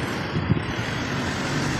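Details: Mitsubishi Montero with the 4N15 diesel that previously would not start, now after repair running an even idle under some wind noise, no misses or knocks; the engine runs smoothly.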